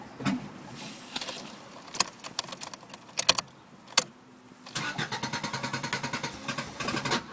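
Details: Honda Civic EG with D16Z6 engine: clicks then cranking pulses that never catch; spark plugs, timing belt, fuel pump and oil checked OK; owner suspects distributor spark timing, not confirmed.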